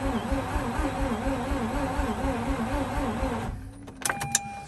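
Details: Mazda RX-8 with a slow starter spin, cranked after spraying behind the belt pulley to loosen it: quick, even starter whir with a wavering pulse for about three seconds, but the engine never fires. Cranks well but won't start.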